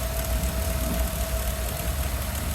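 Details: 2013 Ford F150 right after replacing a seized alternator, the battery and the belt: a steady, smooth idle with no squeal or shaking, charging at 14.55 V.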